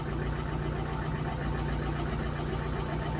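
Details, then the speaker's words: Ford Cortina at idle after a leak was fixed by tightening loose hex bolts, now running on Aspen fuel. Steady, low, even idle with no misses or knocks, settled and smooth, though still giving off lots of fumes. "He's calmed down. Smooth. But I do think I'd like to change the engine. It's now running quite nicely on that, the Aspen."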